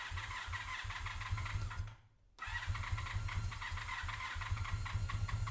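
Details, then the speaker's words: 1985 Honda VF700F V4, first start attempt after carb rebuild and new pulse generators, choke applied manually, not run in over five years: steady low cranking with short pause, not yet firing while carbs fill with fuel. "still filling up with gas putting the choke on here manually starting to fill up"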